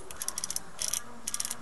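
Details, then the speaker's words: Echo 1 USA Platinum M4 gearbox being reassembled during a piston change: the anti-reversal latch is pressed down and crisp ticking comes in short bursts as the gears turn. The latch catches cleanly, which is normal. "my my finger press down on the reversal lch like so drop it in okay now you can hear the clicking I'm just kind of making sure the rist latch doesn't jump"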